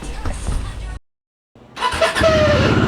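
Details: Motorcycle after head gasket and timing chain work, starter not yet replaced: engine runs, cuts out, then on restart a short rising squeak near 600 Hz rides over cranking; starter suspected.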